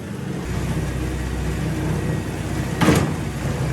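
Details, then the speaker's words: StairMaster StepMill (916/7000PT type) run at uncomfortable speed with full body weight: steady low motor drone broken by a sharp clunk as the steps skip, drive chain jumping a sprocket tooth. "Okay so we heard the skip we felt the skip hopefully you saw the skip now let's get in and figure out what the heck's going on"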